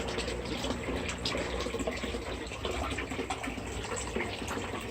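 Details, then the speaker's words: DIY backyard aquaponics system after relocating fish tanks and filters, pump on GFI outlet: gurgling and burping, then steady splashing and bubbling as water starts flowing; normal flow and aeration. "You can hear it gurgling and burping. Start spitting out water here any second. There we go. And we've got some water flow."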